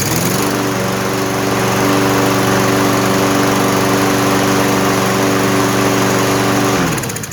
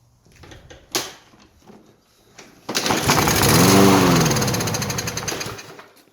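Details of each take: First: Toro 163cc lawn mower that would not run, after refuelling and cleaning the carburetor, air filter cover off; steady even drone at constant speed for about six seconds, no surging, then clean shutdown. Cause was likely bad fuel. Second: Non-running Toro 163cc lawn mower with a clean air filter, fed starting fluid into the carburetor: catches and revs hard for a couple of seconds, then dies; fuel starvation, likely clogged dirty carburetor, fuel looked okay.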